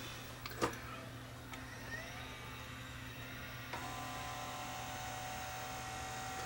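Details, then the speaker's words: Sony SLV675 VHS VCR with tape spilled out: powered up, head drum spinning, the loading motor whirs steadily but the mechanism never moves or clunks; the plastic gear on the loading motor is cracked and slipping. "okay here the loading motor running now but nothing else doesn't attempt to move the mechanism"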